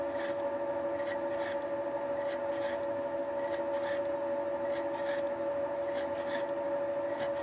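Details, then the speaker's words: Wohlhaupter UPA5 facing and boring head on a Thiel Duplex 158 mill, facing the plastic lawn mower housing around a molten bearing seat, cutter advancing radially a few tenths of a mm per rotation: steady tone, light rhythmic scraping, no chatter; normal facing cut. "the facing and boring head was set up for facing so that the cutter advanced radially by a few tenths of a millimeter with each rotation"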